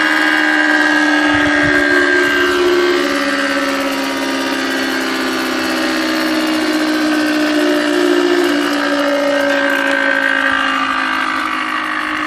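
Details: Conz 7.5 kW electric motor, first start in over 40 years on a provisional power supply: a steady hum with whining tones and a rough rumble about four times a second from broken bearings. The wiring is long out of code.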